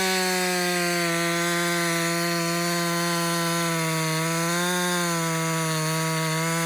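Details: Husqvarna 562XP two-stroke chainsaw after a dealer software reflash for dying when hot and not starting: a strong, steady high-pitched drone dips slightly as it bites into wood. Pulls clean and even under load; healthy.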